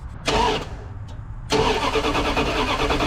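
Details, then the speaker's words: Dodge Ramcharger with fuel line not hooked up and belts unattached: a short crank, a pause, then steady even cranking that never catches; no gas in it, engine starved of fuel. Crank, no start. "I know what the problem is it ain't got no gas in it so we're gonna dump some gas in it"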